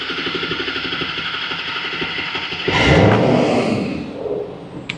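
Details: 2011 Ford F550 6.7 Powerstroke with repeatedly blown return lines, after repair of an engine knock, during a relative compression check: even diesel clatter at a steady idle with no single-cylinder knock, some handling noise later. The knock is gone and the idle is normal.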